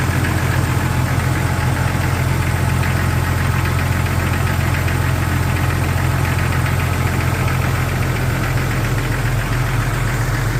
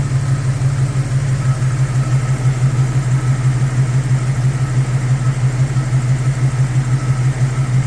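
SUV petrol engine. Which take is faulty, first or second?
first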